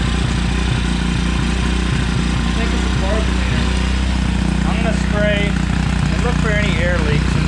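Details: Neglected 2016 Tao Tao 110cc pit bike with a new carburetor, plugs and air filter; it wants a high idle and the idle screw has no effect. Uneven, lumpy single-cylinder idle that won't settle; carb cleaner raised rpm, revealing an intake gasket air leak.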